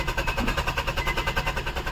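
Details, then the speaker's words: Maruti Suzuki Swift diesel cranking: fast, even cranking pulses, RPM needle rising, all lights on, fuel present, but never fires; crank no start caused by failed relay. "और car start नहीं हो रही है। Fuel भी है इसमें। इतना है कि कार स्टार्ट हो सकती है हमारी।"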